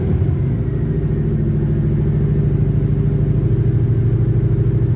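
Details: 1966 Dodge Coronet, carbureted, cold start: steady, even low rumble with smooth regular firing and no knocks or misses; healthy idle.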